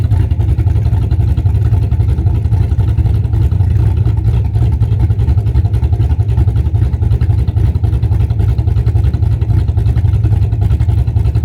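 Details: Cammed V8 Camaro idling just after installing a Summit Racing Max EFI-500 injection system with IAC valve, fuel pressure about 35-40 psi: deep, steady low rumble with a lopey pulse about four times a second. Normal, running fine.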